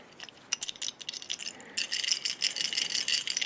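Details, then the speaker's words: 1986 Jeep XJ 2.5L with heavy clutch chatter, removed throwout bearing spun by hand; dry, uneven metallic rattle and gritty clicking, bearing broken with destroyed spring clips to the release arm, worn out and needing replacement. "The arm plus that stupid throwout bearing. My God, listen to that. I can hardly spin it."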